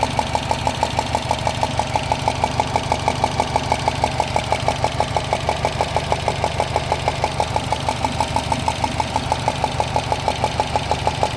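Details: 2013 Subaru Impreza WRX at idle: sharp, very regular ticking about three per second, like a golf ball sliding inside the engine, coming from near the turbo; source not found.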